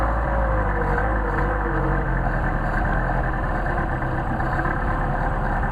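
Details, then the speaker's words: Mercedes 190SL with Solex carburetors on test, cold start after priming with the fuel pump lever: low, steady idle with an even beat and no hunting or stumbling, settling in normally. "I'll give it a skort here switch on sure that's the way you should start a cold engine"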